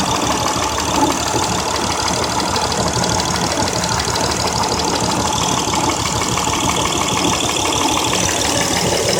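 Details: 2003 Honda Accord EX 3.0L V6, 6-speed manual, 171k miles: uneven stumbling idle misfire with blinking check-engine light, codes P0300 and P0303–P0306 after new plugs and coils; cause was one dead-on-arrival new ignition coil.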